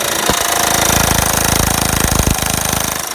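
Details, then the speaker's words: Honda Pilot at idle with really bad, loud, rapid metallic knocking/tapping keeping pace with the engine; owner says no motor needed, just timing belt and water pump replacement. "okay YouTube here we go on the pilot really bad knocking tapping crazy noise oh yeah good"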